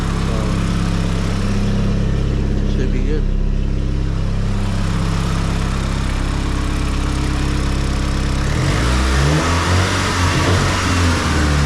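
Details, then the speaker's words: Nissan S15 SR20 with Garrett T28 turbo after replacing the turbo gasket and fitting lock plates to cure a boost leak: steady idle then clean revs settling back, no ticking or puffing; no exhaust leak, normal running. "The car starts. No exhaust leak. Should be making all the boost now. No boost leaks anymore."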